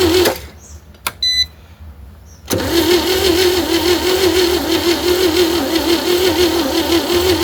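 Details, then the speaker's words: 1960 Chevy C10 235 six, sat 40 years, with old plug wires, a battery fitted and good spark. It cranks steadily but slowly and never catches: crank, no start. The owner suspects the battery, a dirty carburetor or compression; a battery charger is next. "Well, she ain't cranking very fast. I'm going to throw a battery charger"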